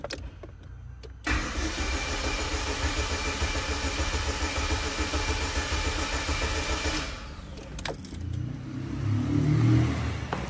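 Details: Chevrolet Celta towed in not running, after adding 5 L of petrol and pressurizing the fuel system: steady starter chugging about three to four beats a second for nearly six seconds, never catching; old fuel in the rail suspected.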